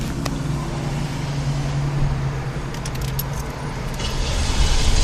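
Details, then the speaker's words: Car that won't start: steady cranking chug of about three beats a second that never fires. Cranks but won't start; flooding suspected. "That's what it's doing that. It's flooded out."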